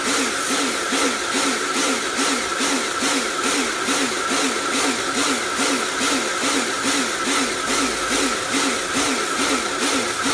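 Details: Repaired Karcher pressure washer (built from B202 and K2 14 units with frost damage and motor failure), spraying: motor hum with steady high tone surging on and off about twice a second; cleans fine, pulsing cause unknown.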